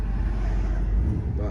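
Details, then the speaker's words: 1996 Ford F250 with 460 V8, fitted with a new distributor and coil and a repaired exhaust leak, revving with the AC on. A deep, even rumble with no belt squeal; the earlier squeal was thought to come from the belt being wet after cleaning: normal running. "got the ac back on and revving it up some it's not squealing anymore i think it just was wet for him cleaning it"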